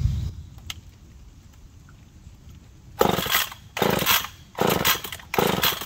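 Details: McCulloch Pro Mac 1010 chainsaw after resetting the carb (owner thinks it had been running a little rich): quiet lull, then four uneven revving bursts rising and falling; runs but won't hold steady speed, cause not confirmed.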